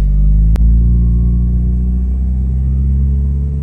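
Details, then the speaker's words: Mitsubishi Evo 8 with an idle that sat at 1,500 to 2,000 rpm warm and surged, after dry moly lube was applied to the throttle body butterfly: the cold engine holds a steady high idle. The idle screw may still need adjusting. "now it seems like everything's idling still really high car is cold so um now again this could be a situation where I need to adjust the idle screw"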